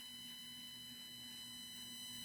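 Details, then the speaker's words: Redcat Ascent crawler with Holmes Hobby Crawlmaster Sport 550 motor: steady high electric whine, smooth and even, with no clicks or binding. Throttle modulation is much smoother than before; the owner suspects the original problem came from the factory. "Oh, it's so much smoother, guys. Holy moly."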